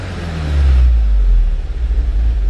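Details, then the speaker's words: Mk7 VW Golf GTI feeling down on power, codes for bank 1 intake camshaft positioner slow response and engine speed sensor: revved, engine goes lumpy and uneven as it falls back; intake cam adjustment specified 10 degrees but actual 40, slow response. "Oh, there you go, look, it's going lumpy, look. So it should be at 10 and it's at 40 degrees."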